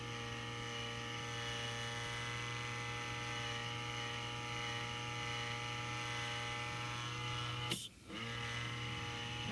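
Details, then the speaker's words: TiVo Series 3 HD (TCD652160) original fan at startup speed, replaced for weird noises: steady high whir with strong low hum and buzzy edge, loud noise said to ease as it slows; worn fan bearing. "forget how loud this was but it started making some really weird sounds that's why i was replacing it in the first place"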